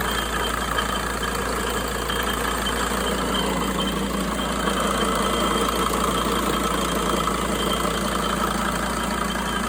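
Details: 2004 Sprinter diesel at idle: steady clatter with a faint, constant high-pitched whistle that doesn't change; source of the whistling unknown.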